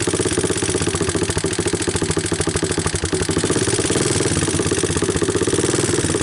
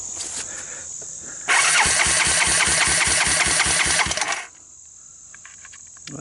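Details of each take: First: 1988 Honda TRX200SX ATV, abandoned for years, cold start on a new PZ27 carburettor: an even single-cylinder thump at a slightly raised idle on choke, with light regular valve ticking near the camera and nothing knocking; a healthy idle. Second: 1988 Honda TRX200SX, abandoned several years, starter jumped directly: single cranks about four times a second with even compression puffs but never fires, no carburetor fitted.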